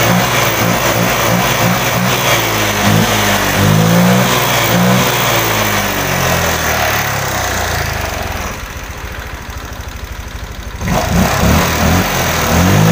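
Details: Honda Vario 125 LED scooter that came in sluggish, weak and unresponsive: after a part replacement the altitude value reads normal. Throttle blips rise and fall cleanly and drop back to a steady idle. Throttle pull is better, injector 2.3 normal, O2 sensor working.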